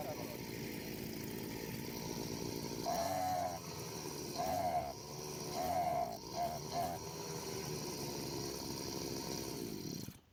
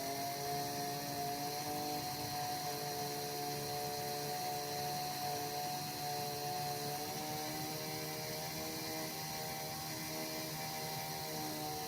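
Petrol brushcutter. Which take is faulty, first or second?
first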